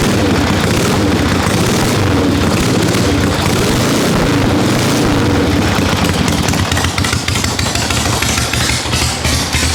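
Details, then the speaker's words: 1974 Harley XLCH Ironhead chopper, running after 5 years apart, carb long sitting, still cold: loud loping V-twin beat at steady idle, uneven but firm with no misses or knocks; normal cold idle. "Still cold, so I'm not expecting it to be super snappy yet, but we got a runner, which is a lot of extra motivation to get this thing done and off the lift, because this is supposed to be coming to the chopper party."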